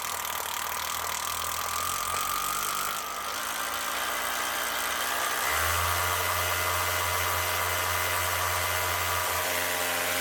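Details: Power tool motor (drill) that sparks when running and goes up and down through the speeds, switch broken; hum drops around three seconds then climbs to a higher steady pitch near six seconds; owner suspects the switch.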